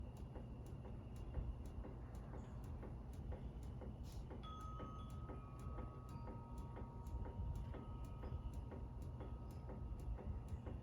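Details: Harbor Breeze Centreville ceiling fan wobbling because one blade is bent up, even with the mounting bracket tightened. Sharp, regular ticking about twice a second over the motor hum. The capacitor is slightly bad on high only.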